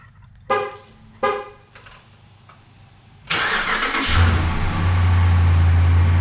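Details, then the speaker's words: 2011 Ram 1500 Sport 5.7L Hemi V8, after repairing an exhaust manifold leak from a sheared stud: cranks, catches and settles into a steady, smooth idle with no exhaust tick; slight fan belt squeal remains; healthy idle. "Oh yeah! She's quiet as a mouse, boys."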